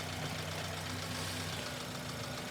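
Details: Running engine at idle after new pulleys fitted, ultrasonic tester probing pulleys: smooth even idle, steady low hum, no squeal, chirp or rumble from belt pulleys; sounds healthy.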